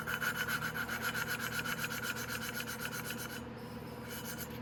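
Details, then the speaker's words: Valve lapping on a 250cc Venom X22R Max motorcycle with lapping compound and a hand tool: rhythmic gritty rubbing, about four strokes a second, turns softer and smoother as the valve seats properly. "And you can hear the sound change. As soon as you hear that sound change and it gets real smooth, then it's good."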